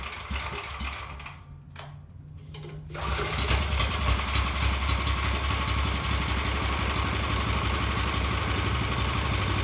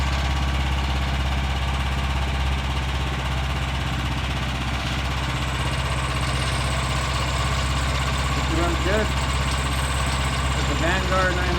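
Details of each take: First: Revived Vanguard 9 hp single-cylinder tractor engine after carburetor work and old fuel drained: cranks twice, fires, then holds a fast, even chatter that never drops back; throttle cable sticking, not returning, so it sits at high idle. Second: Revived Vanguard 9HP tractor engine after draining old gas and carburetor work, oil topped off: steady, even low hum, smooth unchanging beat, no misses or knocks, no fuel leaking, much quieter. Normal idle.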